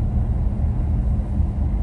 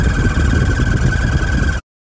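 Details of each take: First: 1985 Chevrolet Caprice Classic, 5.0L 305 V8, ~153,170 miles, test drive up a hill after replacing the speedometer cable that caused loud squealing behind the gauge cluster: deep, even engine rumble, no squeak or chirp; speedo steady; repair successful. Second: 1985 Chevrolet Caprice Classic, 5.0L 305 V8, about 153,170 miles, while driving: steady high-pitched squeal from behind the gauge cluster over engine and road rumble; speedometer cable suspected, replaced.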